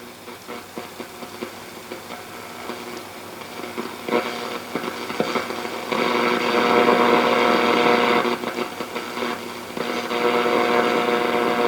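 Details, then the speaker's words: 1937 Sears Silvertone tube radio during shortwave and IF alignment repair: a harsh rasping buzz with regular pulses over the reception, caused by RF interference from a nearby Wi-Fi garage door opener. "noise here is the garage it's a wi-fi garage door opener which i didn't realize i said it in the prior video"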